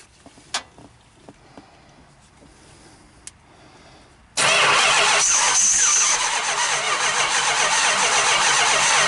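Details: 440 Big Block Mopar first start in 23 years: a few faint clicks, then the big V8 suddenly fires and holds a loud, rough run; engine waking after long storage.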